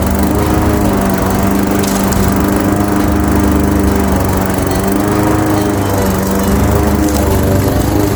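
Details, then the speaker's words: Craftsman 21-inch mower, 5.5 hp Honda GCV160, cutting grass at height level two after service: steady, even single-cylinder buzz holding speed under load, no surging or misfire; healthy, fully functioning, technically nothing was wrong. "absolutely simple fix because there was technically nothing wrong with it. So, as you can see, it's now fully functioning lawn mower."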